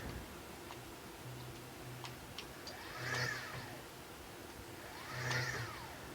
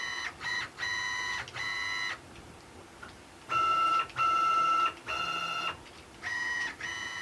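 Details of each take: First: Stepper motors jogging in TurboCNC on newish PC hardware, slow jog 1,000 and fast jog 20,000 settings: quiet ticking, then two jogs whose whine sweeps slowly up and down over about a second each; acceleration is slow. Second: Stepper-driven CNC axes under LinuxCNC with a TurboCNC-style configuration via printer port, jogging at 120 inches per minute: clean steady tonal whine in short even bursts, no stalling, skipping or grinding; normal stepper operation.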